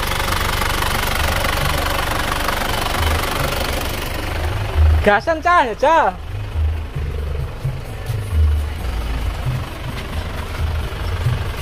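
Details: Isuzu Panther diesel after engine overhaul for blow-by compression leak, aftermarket liners replaced with used original ones: steady, even diesel clatter at idle, no misses, no smoke from oil filler or exhaust; healthy normal idle.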